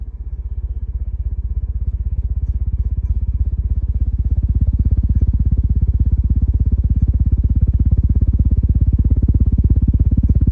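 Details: CEC Casablanca Mercury copy ceiling fan running: low steady hum with fast, even ticking about three per second throughout; bad bearings, reverse switch also faulty.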